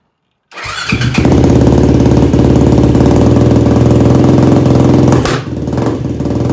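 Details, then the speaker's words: Yamaha YFZ450 ATV rebuild, very first start after engine install and carb mid-body rejetting, no choke, fuel petcock accidentally left off; the single fires loud and choppy then stumbles and sags about five seconds in; owner suspected jetting. "All right, folks, well, that wasn't a very good first start here. So I'm not sure what's wrong with it. I think we're gonna have to pull the carb and we're gonna have to rejet some things."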